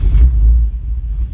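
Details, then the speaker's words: LS-swapped S10 Blazer with TH400 on a factory tune, dead cold start at 32–34°F: engine catches with a deep rumble, then sags and fights instead of flaring up; owner suspects cranking fuel needs leaning 10–20%. "but see how it's just trying to start and then slobber on itself"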